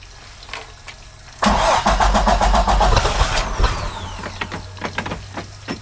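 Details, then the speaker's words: 2008 Bayliner 195 with 4.3 L Vortec V6 MerCruiser Alpha One, first start after winter storage: the dry engine is primed, cranks and stumbles with a backfire and uneven firing as fogging oil smoke clears. Hard starting after winter storage with fogging oil. "oh wow got a bit of a backfire going n there's a little bit more fog that's just fogging oil"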